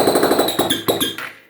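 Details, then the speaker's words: Honda Fan 160 motorcycle, parked about 2 weeks, running without exhaust: loud rapid machine-gun knocking, won't hold idle and dies; suspected piston/ring friction from poor lubrication, unconfirmed. "Mas tá um barulho como se fosse a parte do pistão sem lubrificação, né? Atritando aí entre o segmento e o pistão, tá bom?"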